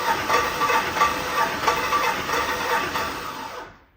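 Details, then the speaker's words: Twin-turbo Silverado (about 10.5:1 compression) during a compression test, spark plugs out and injector/fuel pump fuses pulled: an even, hissing five-crank starter whir with soft pulses about four a second. The cylinder reads about 180 psi; normal. "usually I let it go I think it's four or five cranks you'll hear it go because there's no plugs in and it was kind of a funny noise but you'll know what I'm talking about"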